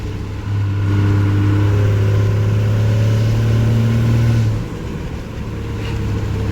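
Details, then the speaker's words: Second-gen truck with a snapped fifth gear in its transmission under light throttle. Deep, steady diesel drone with an even pulse and no knocks, likened to a crunchy NV4500; healthy engine under light acceleration. "also I'm not flooring it I just gave it a little bit of throttle this sounds like a semi crunchy crunchy NV 4500"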